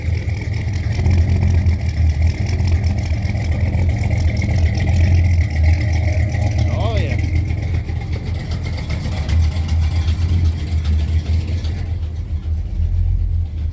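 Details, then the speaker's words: Old Dodge 4x4 with carbureted modified 360 LA small-block V8 (swapped from 318), started after sitting a week, still a bit cold: deep steady rumble with mild cam lope and clean rev; running well. "it started right up I mean it's been set in a week it is carburated and it's just didn't even turn over a half a turn that's what I'm talking about you can hear that cam in there it's not super radical"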